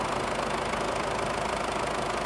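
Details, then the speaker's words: 2007 Ford Everest turbo diesel, rocker cover gasket resealed, at idle: even, soft diesel idle with smooth unbroken rhythm, no knocking or ticking; engine idles quietly and healthily. "Máy nổ khá là êm chưa? Đó là trải nghiệm phần máy của em nè. Phần máy nha. Máy êm chưa? Máy êm rù."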